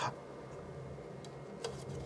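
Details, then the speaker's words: PlayStation 2 bought on eBay as having no power, after a repair of a disc tray that was not closing because it was caught on a peg, testing with the game Enter the Matrix; faint ticks and a soft whir as the drive spins up and seeks; normal disc drive seek. "'s working it definitely sounds like it's trying to read it okay I think it knows there's a disc"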